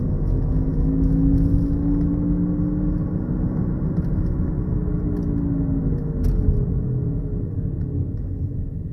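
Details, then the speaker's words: Honda Accord worn front wheel bearing at about 40 mph: a steady low growl and hum that grows louder with road speed and fades as the car comes to a stop. "Hear how it gets louder and louder as you speed up, and then when you come to a complete stop, of course, the noise goes down."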